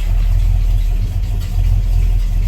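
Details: Carefully rebuilt Ford truck engine, lukewarm (just above 130°): smooth, deep, steady idle with even low rumble, no ticking or knocking; oil pressure about 60 psi, sounds healthy.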